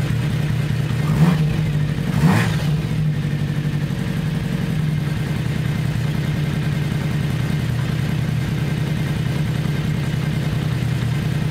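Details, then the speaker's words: 1982 Kawasaki 750 LTD after four new spark plugs fixed cylinder 1, which was cold and not firing due to a faulty plug: after a couple of blips it settles to a smooth, even idle on all four cylinders. "so let's start her up see how she idles and see if you can hear the sound better four cylinders working instead of three"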